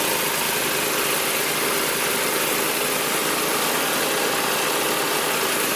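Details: Magna air compressor with a Briggs & Stratton engine from at least 1983, sat 5 years, first start on the carburetor alone without carb cleaner: small engine runs with a fast, even hum, no misses or knocks, reaching 100 psi; normal running.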